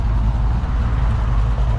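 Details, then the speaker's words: Custom 1967 Chevelle V8, not fitted with noisy pipes: deep, fairly quiet rumble with a slight uneven cam lope; idling smoothly and sounds healthy. "He did not put really noisy pipes on it. I mean, it sounds good. You can hear the cam, but it is pretty quiet,"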